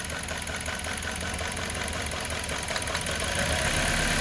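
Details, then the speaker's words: Toyota Corolla with check engine light, weak, cutting out, misfiring: cutting cylinder 3 or 4 ignition makes engine run rough and shaky, nearly stalling, while cutting cylinder 1 changes nothing, pointing to dead cylinder 1. "perceberam quis morrer quando eu liguei ele voltou ao normal o cilindro quatro mesma coisa quis morrer"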